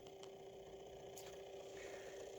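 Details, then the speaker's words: 3D-printed pulse motor on JL94 circuit at about 12–13 volts, shafts glued and not spinning, floating rotors: quiet steady mid-pitched hum with faint pulsing tick; running nice and quiet and smooth, normal. "But it's running nice and quiet and nice and smooth."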